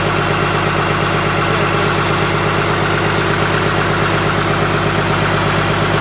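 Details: Komatsu SAA6D114E-3 diesel in a PC300-8 excavator after overhaul: steady, even idle with a smooth regular beat and no knocks or misses; normal running.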